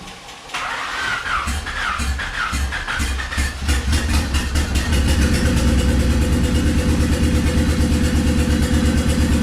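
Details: Swapped Honda D15B2 engine in an EG coupe: cranks, catches, then idles with uneven stumbling beat about three per second; misfire.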